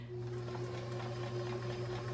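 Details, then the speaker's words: Kenmore 158-1941 metal sewing machine before cleaning and oiling, previously serviced by someone else: steady, even motor hum with a clean constant pitch, no knocks or rattles; runs smoothly with no sound issues. "It sounds pretty good to me. I'll give you an idea of the before. So, it doesn't seem to have any issues with the sound."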